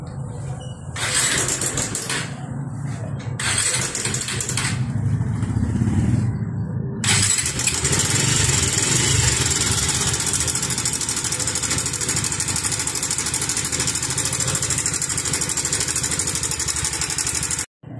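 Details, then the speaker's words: Pulsar 150 motorcycle engine idling hot with a loud busy metallic clatter like it could break; suspected cam chain tensioner (cam chain adjuster) fault causing timing chain rattle. "डरलाग्दो noise आछ कि के भनु अब यो इन्जिनै फुटला जस्तो आवाज आछ र यो नोइज चाहिँ रोकराम वा यो टेन्सनर भनिन्छ यसलाई यसको हुन सक्छ।"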